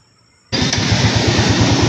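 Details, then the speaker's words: Yamaha motorcycle that would not start due to a faulty fuel pump: after the pump work, with the pump now audible at key-on, the engine fires at once and settles into a steady, even idle. Normal start and idle. "So ayan mga bossing no umandar na yung ating motor no."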